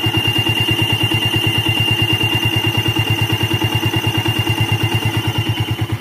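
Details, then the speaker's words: Old Yamaha Vixion motorcycle at hot idle, radiator fan not yet running: thin steady whistle over pulsing idle, absent when cold; damaged water pump seal whine. "Nah, oke ya, seperti itu. Itu tandanya yaitu ada kerusakan di bagian seal water pump."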